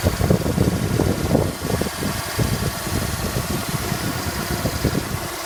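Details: 1999 Honda Accord Coupe F20B5 engine at idle: uneven, gritty grinding rumble coming in rough bursts at an interval, only around 1000–1250 rpm while warming up, almost absent dead cold and gone fully warm; source not yet found.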